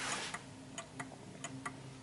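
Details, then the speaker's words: 1950s Smiths Enfield striking mechanical mantel clock, adjustment taken off at the bottom: ticks come in uneven long-short pairs instead of an even tick-tock and the clock then stops; out of beat, needs adjusting for the surface it stands on. "it's uneven. So you can hear that the tick is a bit off."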